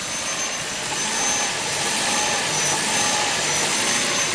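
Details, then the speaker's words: New 2022 Ford Maverick Hybrid at 11 degrees, defroster and vent on, recorded at the tailpipe: engine noise rises and falls repeatedly at idle like blipping the throttle, with buzzing and shaking, rotten-egg smell; idle surge, owner suspects catalytic converter. "Just basically like someone stepping on the gas, off the gas, on, on. You can hear it, obviously."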